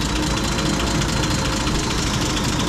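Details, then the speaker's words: M8 Greyhound engine on ignition test rig after distributor and ignition overhaul: idle mixture too rich, steady even idle with revs picking up as the mixture is leaned off and idle speed dropped. "start leaning it off the engine reps are picking up"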